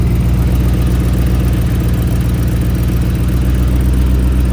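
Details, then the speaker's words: Racecar idling rough and deep with a puffing, chuffing beat about four times a second from an exhaust leak, heard during a nut-and-bolt check for weird noises; the leak was then fixed. "Dang it, now it definitely sounds like it has an exhaust leak."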